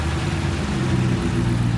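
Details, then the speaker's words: 2018 Dodge Charger Pursuit V8 after intake and exhaust mods, revving stationary: deep strong roar with an open intake note; no knocks, ticks or misfires; sounds better. "That definitely opened it up. Dude, does it still hit 4K RPMs? Is that where it's Yeah, I guess that's where it's limited to, but it sounds a lot better up front and then out back. I think it makes the exhaust a little louder."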